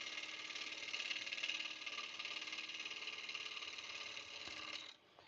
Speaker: I think we are not quite round yet. Nope. You can kind of hear it when it's not round yet. You kind of get that dut noise.